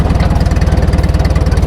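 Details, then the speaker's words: About 70-year-old International T9 crawler bulldozer, 4-cylinder engine (owner thinks 336 cubic inches), pulling away as the clutch is slowly engaged. Steady, even low thumping of about sixteen pulses a second with no knocks or rattles; a quiet, well-kept engine running normally. "See how quiet it is? You can't even hear it. There's no sound effects here. That's just quiet operation. What that says is this thing's been well taken care of."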